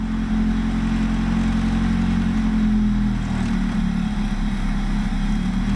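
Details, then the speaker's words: Honda with a rebuilt engine, ECU on an OBD0-to-OBD1 adapter: it runs with a steady hum that sags and roughens on throttle, a hesitation; check engine light on. "okay it runs that's great so we definitely have a little issue you could hear the throttle hesitation but no worse that's why we have check engine lights"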